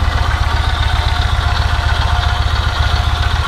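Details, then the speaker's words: Yamaha MT-01 V-twin at idle: a loud, lumpy beat with uneven mechanical clatter on top, about 220 pulses a minute, which is the normal sound of this engine. "would almost think it was nothing but that's normal [Applause] the other side the same but that's just normal for an empty one"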